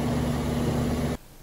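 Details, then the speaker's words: Rheem central air conditioner outdoor unit after start/run capacitor replacement: steady low hum with even tone until it stops abruptly; big line getting cold, compressor running normally, back in service. "I can feel this line now the big line it's already getting cold so that tells me that pressure's running plus I can hear all right easy fix we're back up and running"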